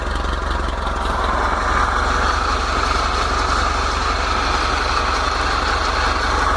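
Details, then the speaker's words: VW T25/T3 Devon camper on Weber IDF carbs with no choke, fresh cold start: even, steady low idle with no ticking or stumbling. Oil pressure and alternator lights are out. "Obviously oil pressure light, alternator light is out, and that's completely fresh cold start."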